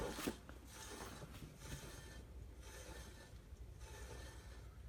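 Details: 2005 Ford Taurus without ABS, rear wheel spun by hand: dry scraping rub swelling about once per turn, apparently brake drag inside the rear drum; rear hub bearings also suspected worn, loud at higher speeds.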